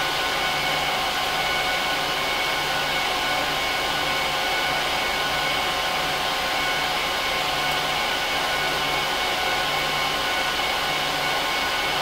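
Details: HP ProLiant DL380p Gen8 server (24×4GB DIMMs, eight 300GB 10,000 rpm drives in RAID 5, both PSUs, no cards) during POST/boot: loud, steady rushing whoosh with constant high whine, no rattle or pulsing; fans at full speed, normal.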